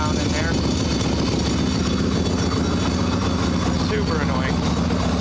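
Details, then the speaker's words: Harley Evo Sportster chopper just started, idling on choke, valve train quieter than before: lumpy V-twin idle with light, uneven high-pitched metallic clatter from the loose front brake pad rattling in the caliper. "that high pitched I don't know if you can hear that high pitched clatter but it is that brake pad again we come up front one of the reasons I wanted to get the brake fixed there's the brake pad just clattering around"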